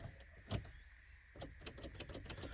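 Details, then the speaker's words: Holden VN SS that sat for a decade or more: a single clunk, pause, then uneven cranking pulses about six a second that falter, because the loose starter motor terminal keeps jiggling off while cranking. "The little starter terminal is so loose, it keeps jiggling off as the car's trying to start."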